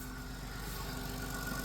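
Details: 2000 Chrysler Grand Voyager, 114,000 miles, started after sitting 8 years with the belt cut because the alternator is seized: it fires right up into a smooth, quiet idle with no ticking.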